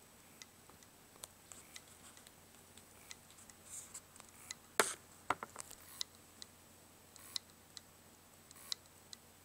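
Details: Dead Western Digital WD3200BEVT-75ZCT2 320GB 2.5-inch hard drive; faint sharp uneven ticks about every half second, heads clicking and retrying.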